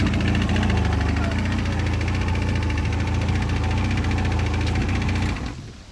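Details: 2002 Mercury 115 hp outboard at idle: loose, uneven knock about three or four times a second riding on the rumble, suspected piston slap.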